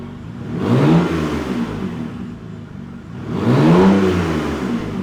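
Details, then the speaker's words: BMW E90 revved to about 3,000 and 4,500 rpm with the exhaust removed: two sharp blips, raw, blaring and unmuffled, loud and unrefined, a loud open exhaust. "It does not sound refined at all. I don't like it. I don't think it adds anything good to it. It's just loud."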